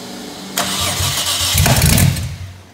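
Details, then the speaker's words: RB25 first test fire, runs about a second after brief crank with a sharp loud pop; backfire on startup because injectors aren't scaled correctly in the tune. "sound good nice big pop yeah because it's projectors aren't scaled correctly"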